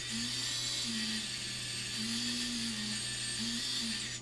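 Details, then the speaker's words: FPV quad brushless motor, props off, spun from Betaflight motors tab: high, slightly gritty whine with wavering low tone; mildly worn bearing, on its way out but not bad yet. "that one's a little bit that one's on its way out but it's not that bad yet"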